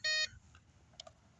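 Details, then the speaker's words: Home-built off-grid PV test rig, inverter at about 288 W load when a second bulb was switched on: sharp steady high beep of a fifth of a second; inverter overload alarm, red light, inverter shut off. "let shut it back let's shut it off cuz it turned back on it was an overload"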